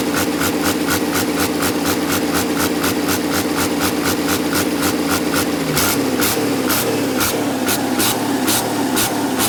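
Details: Diesel with HX50 turbo idling during a turbo leak test, sharp hissy bursts pulsing about twice a second from the turbo; turbocharger hissing.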